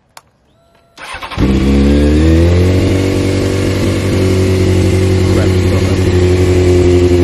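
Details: Rebuilt wrecked Honda CBR600F4i motorcycle, bike upright: starter catches and the engine settles into a steady, even idle without cutting out; normal start.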